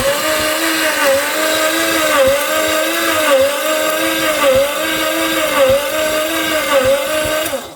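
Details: Barn-find Mazda RX-7 FC with stock rotary engine, parked 10+ years, timing corrected and petrol put back in; starter whine rises and dips about once a second as the rotors pass compression, cranking without catching; no start.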